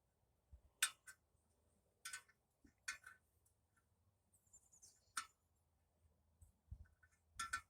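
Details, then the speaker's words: Harley Sportster front wheel, a 21" rim laced to a 19" hub from a 1974–77 big twin with 40 spokes, turned slowly: light, sharp, uneven ticks as outer spokes catch the brake caliper. Clearance is improved but still not enough. "every time it gets on an outer spoke certain areas it wants to hit you can hear it there it's better but it ain't it ain't great"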